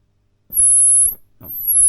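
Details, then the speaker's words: Old Selmer Little Giant valve amp being converted to a 5F2-A Princeton circuit: piercing steady high-pitched squeal over low hum with tone control at the bass-side stop, stopping when lifted off; owner unsure whether a 10 nF capacitor is faulty. "and it's left us with some oscillation when it's on the base side of the stop soon as you lift it off the stop it goes"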